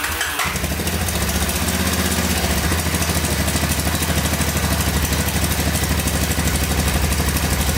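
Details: 1985 Honda ATC250SX three-wheeler (250cc single, electric start, shaft drive), first start after fresh gas; idling with a fast light tick over the exhaust beat, about three per second, from the top end; owner suspects valve adjustment or cam chain, slight smoking.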